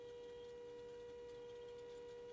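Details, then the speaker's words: Bose Wave radio/CD player AWRC3G: a steady, fairly high-pitched humming buzz from one speaker with no bass at all, caused by a missing op-amp supply at the TL074C (U600). "there's none whatsoever and that humming noise is very annoying"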